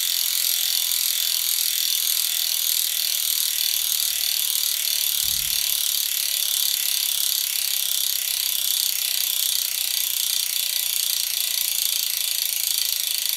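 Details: DT Swiss 370 hub (3-pawl freehub) on an E 1800 Spline disc wheelset from a 2020 Canyon Endurace CF SL 8.0 Di2, spinning freely: rapid, even, high-pitched ticking with no rasp; normal.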